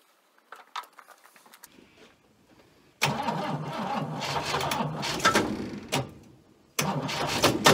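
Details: Abandoned Chrysler Valiant VG, not run since 1997; first start attempt after fitting distributor (slant-six dizzy), battery, coil and leads, auxiliary fuel tank. Bursts of cranking with brief catches that sputter and die between pauses; fires but won't stay running, ignition timing suspected.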